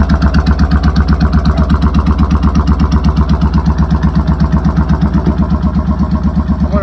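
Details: Motorcycle idling with choke fully out after replacing a faulty solenoid switch that caused cut-outs; engine catches and settles into an even, steady pulsing idle with no misses or knocks, running cleanly.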